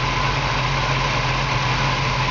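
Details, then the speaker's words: 1969 Pontiac Firebird convertible, freshly rebuilt engine with Edelbrock air cleaner and valve covers: smooth, even idle with a steady low rumble and no ticks, knocks or misses; engine purrs, normal idle. "Of course, power disc brakes in the front, power steering. You can hear the engine just purrs like a kitten."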